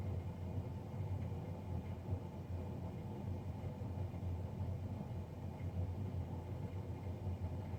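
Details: Navien NCB-240 boiler, serviced Jan 31 2020 and recorded Feb 3 2020: steady heavy low drone with a rough rumble and no rhythm; combustion fan far louder than it should be, cause unknown.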